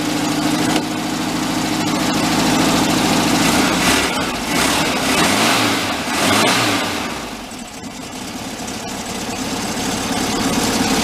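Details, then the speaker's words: 1959 VW Type 2 truck, air-cooled flat-four, first start after sitting a year in museum storage with little fuel: steady, even putter at idle after a revving start, no knocks or misses; normal idle, sounds good. "that sounds good like a kitten"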